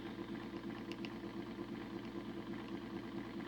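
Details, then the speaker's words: Model locomotive motor on a homemade decoder tester, run at 25 to 50 percent, drawing half an amp to over an amp: low buzzing hum, uneven pulsing, arcing inside. Owner suspects the motor is cooked, which is killing decoders. "oh jeez it dropped man that motor sounds terrible oh she's arcing inside so i'm guessing that the motor's cooked"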